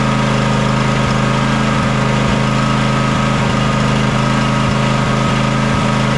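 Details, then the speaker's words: John Deere X300 riding mower V-twin that runs rough, surges and lacks power at full throttle, after cleaning and fixing the choke: steady idle broken by irregular stumbles and dips; fuel looks and smells fine, so a carburetor fuel issue is indicated. "well the choke works but as you can see we're not getting very smooth running out of it whatsoever that's going to tell me that we still have a carburetor or a fuel related issue"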